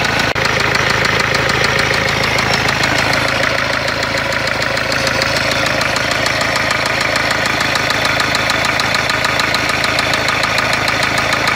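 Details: Renault Kangoo 1.5 dCi diesel at idle; hard steady metallic knocking about three per second, engine reported blown, source not confirmed: engine knock.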